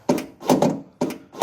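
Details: Mahindra XUV500 W8 tailgate opening switch repaired at home, button pressed: two quick, crisp paired clunks about 0.4 s apart. The tailgate lock actuator unlocks cleanly.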